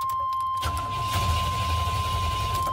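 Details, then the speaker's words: 1990 Chevy K1500, 5.7 L carbureted V8, owner reports crank no start: after starting fluid in the carburetor it ran briefly then died, now steady strong cranking with low churning rumble that never catches; fuel delivery fault, fuel pump suspected. "all right and now it's back to crank no start so because it started up for a quick second and turned back off that proves to me that it's fuel related"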